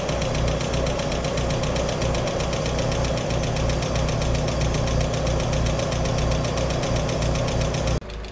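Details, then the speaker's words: Cold first start of the day on a Corrado G60 engine, after repeated repairs: it runs smoothly, but a fast, even light tick rides on top at engine speed, suspected to be a collapsed hydraulic lifter, to be checked next. "bah voilà encore une surprise elle tourne bien alors mise à force brute pousseur bien sûr c'est ce que je vais regarder juste après"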